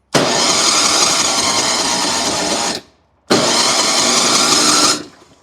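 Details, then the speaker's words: Ariens 8526 snow blower, new electric starter fitted, key removed so it won't fire; two even bursts of steady cranking, engine turns over freely; starter healthy. "so it definitely sounds like it's trying to start so let's throw some gas in and see how we make out"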